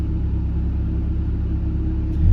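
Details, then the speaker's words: Mazda Miata, warmed up, after idle adjustment and timing check: steady low idle with AC switched on idles up rather than dragging down, no dip or stumble; previously AC load caused stalling at idle. "let's know what happens when I turn the air conditioner on it actually idles up instead of being dragged down it actually idles up which is pretty dang cool"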